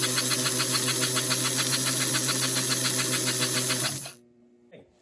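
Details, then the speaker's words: American Flyer 312 steam locomotive after new smoke unit switch, axle bushings and tender repair: even chuffing about 3.5 beats a second over hissy whir, motor bogging slightly with smoke unit on, then stops; runs fine. "So you can also hear that the motor bogs down slightly once the smoke unit kicks in."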